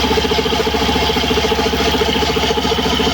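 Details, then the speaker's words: Suzuki Skydrive scooter CVT with stock drive belt: fast, even scraping ticks, several per second, over a steady idle hum, the belt rubbing inside the CVT case; CVT belt scraping noise. "Narinig niyo ba ng maigi na may isa pang tunog na kumakaskas?"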